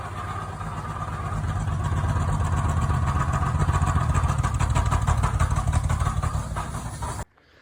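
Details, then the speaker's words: 1969 Chevy 250 six after a head rebuild (seals and one bad valve replaced, compression 135–140 on all cylinders, valves believed adjusted). Rough idle with a steady clack about three times a second; not thought to be a misfire. Clacking noise of unknown origin. "hey guys need some help with that noise this is a 1969 Chevy 250. I just did a head rebuild replace the seals found a bad valve it doesn't sound like a misfire to me"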